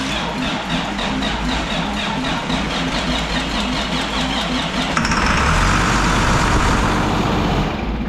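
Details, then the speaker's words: Project truck diesel not started in a year, fresh oil just added: steady starter cranking at about four turns per second, then it catches around five seconds and settles into a rough, rising run. "Oh oh boy. Thing hasn't been started in a year."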